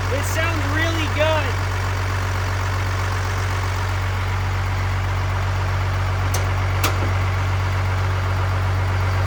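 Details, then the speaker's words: Rebuilt Cummins-swapped truck after rebuild, turbo cover not yet fitted: steady even low diesel rumble at idle, no knocks or misses, much quieter than before rebuild; healthy. "okay well here we go she is so much quieter than what she was before"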